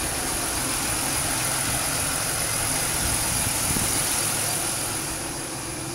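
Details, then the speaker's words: 2006 Pontiac Grand Prix after engine swap and exhaust leak repair: steady, even, quiet idle with smooth hiss, no ticking or puffing, while burning off oil and curing RTV; sounds healthy. "all right you guys we got our running nice and quiet no more exhaust leak really quiet it's been burning off the oil and burning in that RTV it's running great"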